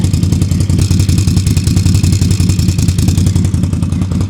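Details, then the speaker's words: 2011 Can-Am Outlander XTP 800, warming up: deep, steady thumping idle with no stumbling or dropouts; running cleanly. "let it warm up for a [Music] minute sounds good"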